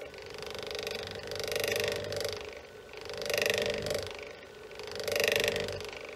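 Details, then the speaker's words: Myford ML7 lathe motor on plain bearings, run under side load with belt tightened; hum with rough growl swelling about every 1.5 s, fine unloaded but noisy under load, bearings to be replaced with ball bearings. "run the motor on the ml7 sounded okay when there was no load but if i had some side load to it and then tighten the belt"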